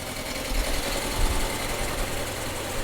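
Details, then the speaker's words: 2004 Audi A4 B6, sitting three years, jump-started on a very dead battery: low, lumpy idle with uneven shake and occasional heavier thumps, running rough; owner suspects old gas in the tank. "give it doesn't sound good but it's running [Music] I don't know how old the gas is that's in that tank so that's uh not helping this at all but it is alive"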